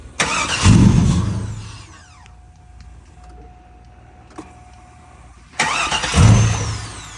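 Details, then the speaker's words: 2001 Chevrolet Silverado, fuel pump replaced about a year ago, fuel pressure present and pump audible: two cranking bursts that briefly catch then die. It cranks but won't start or stay running; owners suspect the security system. "like I said the truck doesn't start I'll show you the clip in a bit"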